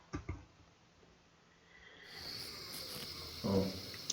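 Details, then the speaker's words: Buried water pipe leak found by digging at a spot near a removed shoe cabinet: after a few knocks a faint steady high hiss rises and holds, with scraping at the end. The pipe burst where a binding wire pressed on it. "그래서 파기 시작하고 어느 정도 파니까 귀로 누수음이 들리더라고. 그건 100%거든요."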